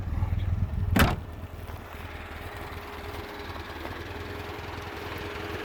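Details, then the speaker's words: 1967 Alfa Romeo Giulia Super with a newly installed 1600 Nord engine and standard airbox: quick catch after a short crank, then a steady, even idle with the thermatic fan whirring; normal start and idle. "So what we'll do is we'll fire it up, can have a listen to it, and then we'll get out on the road. So as you know, we have not done anything to the interior of this car as yet, apart from the dashboard. So it fires up pretty quickly."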